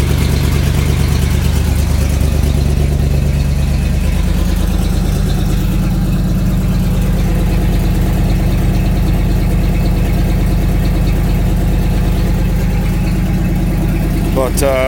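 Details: 1996 Ford F-250 at start-up and idle with a bad exhaust header: rough, loud idle with a fast, raspy puffing tick over the low rumble, an exhaust manifold leak.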